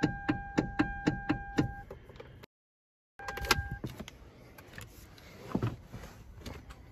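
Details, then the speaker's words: Hyundai Veloster, parked: sharp clicks about four a second as the steering wheel is turned, caused by a worn flexible steering coupler in the column; fix is replacing the coupler. "that's caused by down in here there's a coupler that's going bad"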